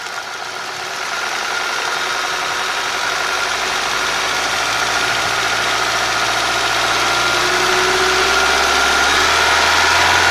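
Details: 1.8 TSI petrol engine: a steady, even knock about four times a second over the running engine, firming up as revs climb; engine knock of unknown cause.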